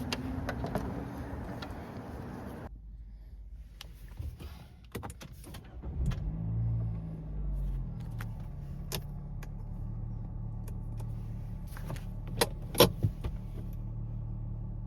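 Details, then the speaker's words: 2017 Nissan Rogue Sport/Qashqai MR20DD after replacing the VIN J relay, reached from underneath, that caused P0626 crank-no-start: a few clicks, then the engine catches cleanly into a steady, even low idle; a normal start, fix confirmed. "Normal start. Oh yeah, perfect fix. Sweet."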